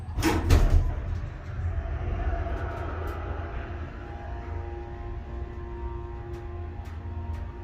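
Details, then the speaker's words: Schindler 300A hydraulic elevator serving two floors, improved after basement flooding and apparently fitted with a new motor starter: door thump, then the pump motor settles into a smooth steady low hum with no buzzing or surging. "That, I think, is a new starter. I gotta hear that again."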